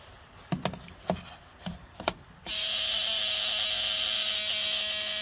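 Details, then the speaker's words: Ford Model T trembler coils in wooden oil boxes on a coil tester, owner's car having occasional misfire under load: a few sharp clicks then steady even high-pitched buzz; coils working well with a nice steady spark. "and as you can see here with the wooden oil boxes all of these ones that we tested were all working perfectly well and they all had a nice steady spark to them"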